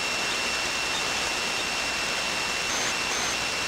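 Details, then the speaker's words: Hammarlund SP-600 communications receiver, just repaired and partly aligned, tuned near 25 MHz: constant hiss with a steady high whistle dropping out briefly; unidentified interference, owner first suspected his phone but says it's not. "It sounds like my phone is in here, so it's not. It's some kind of interference. I'm not sure what to make of that."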